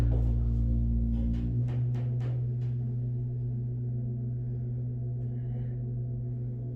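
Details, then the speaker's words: Hydraulic elevator (originally Burlington, possibly Mainco, Epco CircleLine fixtures, LL/ML/UL) heard from outside the hoistway: hollow booming thumps, then a steady, low, droning groan that fades slowly. This is an abnormal, unhealthy sound for a hydraulic lift. "I've never heard a hydraulic elevator make that sound ever."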